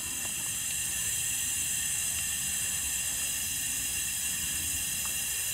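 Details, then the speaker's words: Flatbed trailer air suspension after new airbags and new height control valve with lines rerouted (top port is exhaust): constant high, airy hiss with no pulsing or sputter as air exhausts; height control valve exhausting normally. "all right folks so everything's working like it should you can hear the air coming out of the height control valve"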